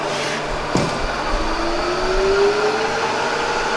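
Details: Bridgeport Vari-speed milling machine, reground table, run up to about 2,200 rpm in high range: steady quiet hum with a faint tone rising as the spindle spins up, no knocks or grinding; spindle runs quiet and healthy.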